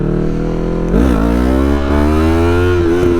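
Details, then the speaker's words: Yamaha MT-03 stunt bike on its first ride since being rebuilt, accelerating in second gear: the engine note climbs smoothly through the revs with brief dips at the shifts, crisp and even with no misfire; it picks up well and is torquey. "Oh, she picks up. She picks up good, boys. That was second."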